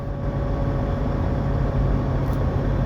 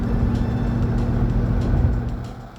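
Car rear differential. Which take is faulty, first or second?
first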